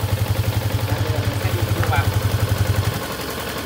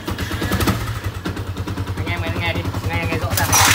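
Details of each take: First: Yamaha Exciter 150 after fixing the clutch (nồi) clack noise, exhaust blocked: steady, even low thumping idle at about four pulses a second with no clutch clatter; normal idle. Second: Yamaha Exciter 150 before repair, engine running: loud uneven clacking over a rough idle like a tractor, from worn rubber dampers letting the clutch housing rattle; fixed by rebuilding the clutch with spring dampers.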